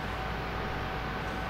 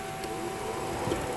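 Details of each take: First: PT Cruiser that overheats with the AC on: the new radiator cooling fan, actuated at high speed with a scan tool, gives a strong even rush of air with a steady motor tone. The old fan had no strength. Normal cooling fan operation. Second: PT Cruiser radiator cooling fan commanded on low speed via scan-tool actuation (fan relay test, overheating with AC on): thin steady whir, little air rush; fan motor barely turning, too weak to pull airflow through radiator.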